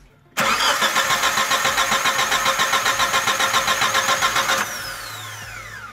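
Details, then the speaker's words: 2001 Chevrolet Grand Vitara towed in, cranks but won't start, battery jumped, spark tester on second coil removed: steady cranking about 3.5 turns per second for four seconds, never fires; no spark confirmed. "y como se puede observar tampoco de chispa en estaba como nuevo vino con lo cual queda confirmado de que no hay chispa"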